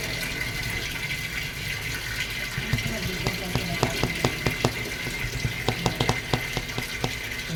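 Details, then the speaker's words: Whirlpool top-load automatic washing machine after controller board replacement for a no-power fault (old board damaged in two years, possibly by kitchen smoke); water level 1 set for wash test. Steady rush of water filling the tub, light splashing and ticking, no strain: normal water fill. "So tine-testing ko muna siya then kak lagyan ko lang siya ng tubig para wash. So naka number one lang yung water level niya."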